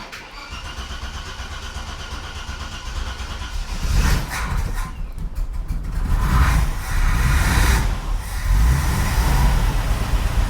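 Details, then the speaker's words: 45-year-old 2.8-litre Vauxhall Royale coupe with a new homemade accelerator cable: the engine cranks and catches, then blips in a few clean revs and drops straight back to a steady idle. The throttle is not hanging open; the cable repair is a success. "Yep, that's not holding the idle speed up. Good. I think we'll call that a success."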